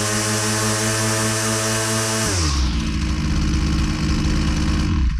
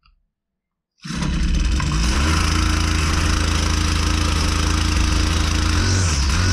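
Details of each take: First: Husqvarna 122C two-stroke string trimmer at full load, string out against the cutter: a screaming high buzz drops into a slightly uneven burble. High-speed mixture set just rich, right on the edge of four-stroking. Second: Husqvarna 122C two-stroke string trimmer, customer complaint of not running right, with air filter and cylinder found good: it drones unevenly while revs sag and surge, poor running from a carburetor out of adjustment before mixture tuning.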